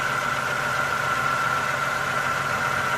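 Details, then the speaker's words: 1996 Toyota Camry 2.2 L four-cylinder, 305,000 miles, idling after distributor with integrated camshaft position sensor replaced for crank-no-start P0340: check engine light off, steady smooth quiet idle, no more rattling and shaking; normal idle. "engine is running no check engine light on so that solved the problem with the uh crankshaft posion sensor because the light was on and the the car is actually running smoother than it was before it was a lot of rattling and shaking nice and quiet"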